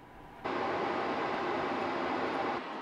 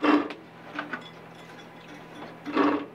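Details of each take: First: RV furnace blower, previously screeching and scratching, after the fix: it starts and settles into a steady, even rush of air with no screech or rubbing, running normally and not loud. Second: RV furnace blower fan turned by hand: short scratchy rasps with quiet gaps between. Something, suspected to be a loose screw, is stuck inside the fan housing and causes the loud screech when running.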